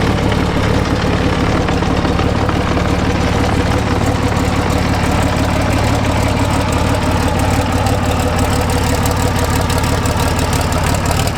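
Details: British Army Abbot artillery vehicle, Rolls-Royce engine after engine pack removal, starter motor fix and leak repairs: deep, steady idle rumble with even beat, no misses, clatter or squeal; normal idle.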